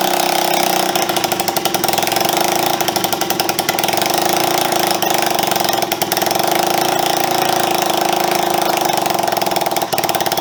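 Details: Honda CB125S single engine after restoration, first run in years with refitted carburettor and fuel system: fast, even single thumps holding revs without stumbling, running cleanly; owner earlier suspected timing firing slightly early.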